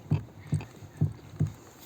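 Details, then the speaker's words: Rear suspension with the body rocked by hand: four dull, low clunks about two per second, one with each rock; the knock comes from the rear strut, not the rod. "достаточно немножко его покачать у него слышно это именно отсюда и стойки"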